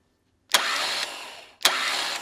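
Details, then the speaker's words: Starter motor cranking on a control box with an added hard start relay; the ignition switch is deliberately half-pressed to mimic a worn contact, giving two short bursts with sharp clicks and faint relay buzz as the relay chatters internally. "Even over the starter motor, you can hear this in this relay switching internally."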